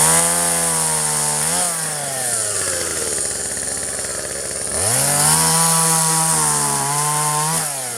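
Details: 1997 Poulan 2150 chainsaw, 23 years old, about 10 lb; warm, just run; chain needs sharpening, cutting box elder tops. Engine screams up, bogs as it bites wood, climbs back cleanly each cut; normal cutting.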